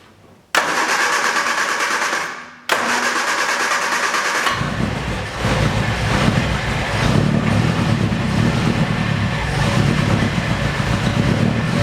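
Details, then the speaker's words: 1966 Triumph Spitfire MK2 after spring maintenance and chain tensioner work: two cranking bursts, then engine runs with fast irregular clatter; the fan came loose and struck a rod, damaging it, radiator now needs replacing; timing chain not rattling. "anyway so the fan came was hit the rod damaged the rod and now we need a new radiator anyways at least I can confirm that the chain was not rattling at all"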